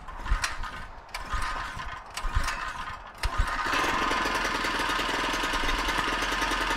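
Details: Harbor Freight small single-cylinder engine on an experimental cold-burning fuel, choke fully out: a few sharp pull-starts, then it fires and holds an even, buzzy run; starting and running fine.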